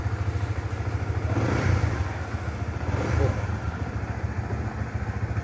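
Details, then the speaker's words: Honda Supra GTR motorcycle after throttle body cleaning for sluggish acceleration: steady low idle thump rising cleanly on two quick blips and settling back; pickup now normal and responsive. "Tarikannya sudah normal dan kembali responsif seperti seharusnya."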